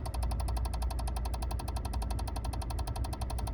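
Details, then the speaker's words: Peugeot 107 / Citroën C1 faulty electric power steering control unit: fast, even ticking about twice a second over a low hum when plugged in with vehicle off; no power assist, heavy steering, red power steering warning light. "And just for demonstration purposes, I've plugged it back in, and this is the sort of noise that I'm getting."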